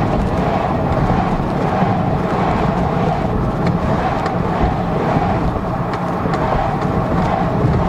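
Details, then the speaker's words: 2002 GMC Envoy test drive after repairing a rear clunking complaint, camera placed to hear the rear: steady road rumble and tyre noise, no clunks over bumps. No suspension clunk after the fix. "oh yeah so there's no more so there you go guys that's how you diagnose in uh fixy clunking sound for this 2002 gmc envoy"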